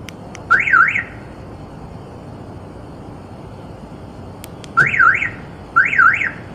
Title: Keyless Entry System making some other sound instead of chirping